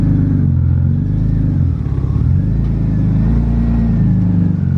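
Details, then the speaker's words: BMW E36 328i before exhaust replacement, crushed 3-inch exhaust with no catalytic converters: deep loud rumbling note that rasps and swells as it revs at start-up. "let's see if she starts and you guys get one last exhaust note of this beautiful exhaust thing started right up"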